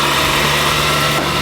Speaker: but all it did is ruin it even though when we started up the first time it sounded mint